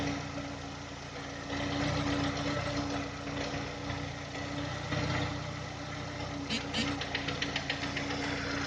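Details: VW Touran 2010, 1.6 BSE engine rebuilt about 15,000 ago (new oversize pistons, valves, hydraulic lifters), cold start after sitting two days: loose tapping about three-four per second once idle drops below 1000 rpm, gone above 1000, fades as it warms; cause unclear.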